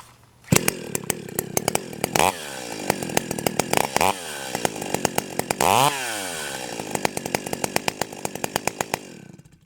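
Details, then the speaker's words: Stihl 028 AVEQ chainsaw two-stroke, carburetor jets at factory settings of one and a quarter turns out: snaps cleanly from idle to high revs and back several times, with crisp pickup and no bogging; not too rich, normal running. "okay I'm hearing good throttle response I didn't pin it back just to to to listen to it but it doesn't sound like it's way too rich"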